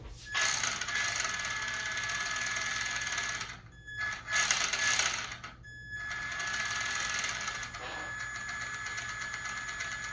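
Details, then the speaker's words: RC car after replacing worn parts with new ball bearings and a new steering servo, rear end tested: fast high-pitched whirring with rough ticking clatter cutting in and out; owner suspects rear end or gears, clicking cause unknown. "That does not sound good. Sounds like a I cannot tell what that is. Hold on. That does not sound good."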